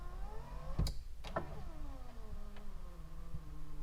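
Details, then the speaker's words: Turbo Honda Accord power window: motor whine sags lower as it labours upward, clunks at ends, glass moves slowly; owner suspects voltage drop or need for lubrication, unconfirmed. "we could only get the passenger side to be that quick sounds like there's a voltage drop"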